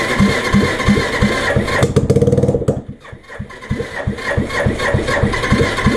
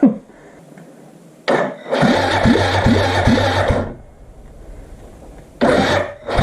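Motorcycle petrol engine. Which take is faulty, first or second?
second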